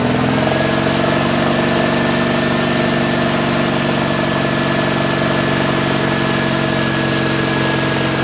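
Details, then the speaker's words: 1974 Jeep CJ5 rock crawler revived after years sitting, with fresh gas, penetrating oil in the carb bowls, a fresh battery and plug wires refitted. Even, steady low-rumble idle with no misses, knocks or hunting; fully awake, normal idle. "but you you could hear there she is fully awake and and ready to run now"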